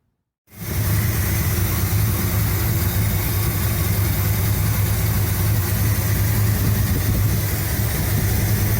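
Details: 1975 Cadillac Fleetwood V8 run briefly after valve cover gasket replacement: catches straight away, settles into a steady even idle with no knocks or misses; healthy, though fuel line leaking again afterward.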